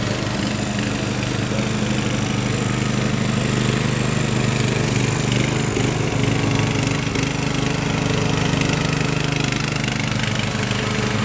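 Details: Craftsman LT1000 riding mower after Briggs & Stratton engine swap, warmed up, test mowing tall grass with unsharpened used blades: steady low drone with blade whirr, holds speed without misses or surging; pulls cleanly.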